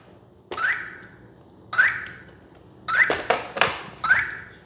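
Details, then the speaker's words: Arrma Vorteks Boost 1:10 RTR stadium truck on LiPo, just powered on at maiden run; short falling chirps about a second apart with clicks, ESC warning beeps; suspected not bound to transmitter though steering works, cause unconfirmed. "okay so my understanding is that noise might be an indication it's not bound but it's steering so I'm not sure exactly how to balance that out"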